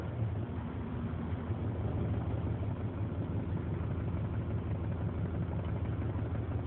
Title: 93 Ford Explorer rough idle, mis fire